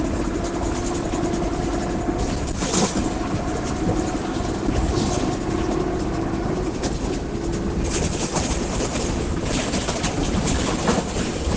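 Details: Caio Apache Vip IV bus while driving on route: droning hum from the rear, partly masked by road rattle; suspected worn differential, differential whine.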